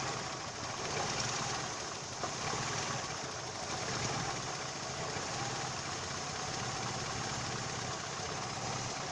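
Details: Daewoo Lanos at a soft, even idle with no squeal or chirp from the alternator/accessory belt; the belt drive runs quietly and sounds normal.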